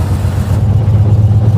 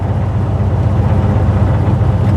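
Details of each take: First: 1956 Chevy Bel Air V8 after swapping the carburetor: deep rumble that picks up cleanly as the throttle is blipped, no stumble or hesitation; throttle response sounds healthy. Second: 1956 Chevy Bel Air hot rod on its first drive: a deep, uneven rumble that sags and stumbles under throttle as it bogs toward shutting off. Owner blames the carburetor and considers swapping in a 600 carb.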